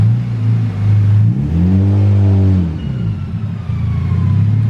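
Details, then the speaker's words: Honda Civic EK with B16A engine, GT30 turbo, Hondata S300 ECU, flex fuel: revs climb smoothly and fall back cleanly, deep even exhaust note with faint turbo whistle; sounds good, healthy turbo engine revving normally. "dang that turtle sounds good [Applause] well that's gonna be fun already i would like it just for the noise that's what i'm saying"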